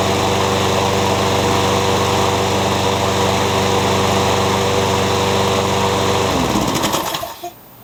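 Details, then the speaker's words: Curb-found mower, started cold after new battery and replaced blown fuse fixed the electric start; catches and holds a steady, even, fast beat with no miss or knock, then shuts down cleanly; runs beautifully. "The only thing I can think of is the electric start didn't work and he thought it was garbage. But it runs beautifully."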